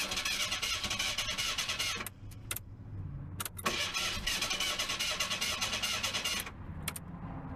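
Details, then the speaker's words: Merkur barn-find car, cold, no gas in tank, starter fluid sprayed into throttle body: extended cranking with pauses, never catches; owner suspects no fuel and believes it will start once fueled. "I don't think I got no fuel in it I think if I put fuel it'll start right up I really do"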